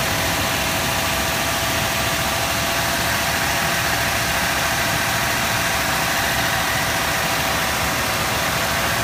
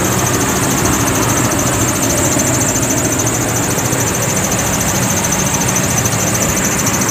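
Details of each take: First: 2006 Toyota Tundra at idle after the belt squeal fix: steady, even engine hum with no squeal or chirp, and the belt drive sounds quiet. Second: 2006 Toyota Tundra at idle: steady high thin squeal riding on a loud even engine idle without changing, a slipping serpentine belt squeal, later fixed.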